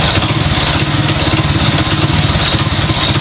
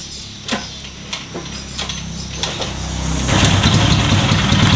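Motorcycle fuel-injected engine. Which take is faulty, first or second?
first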